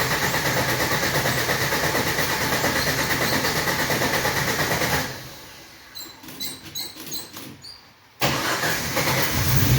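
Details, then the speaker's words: Cold start in rain with garage door closed, after fitting new plug wires to cure a miss; engine fires and settles into a fast, steady cold idle, even firing, no stumble, idle high as expected — high cold idle. "Idle and high, of course."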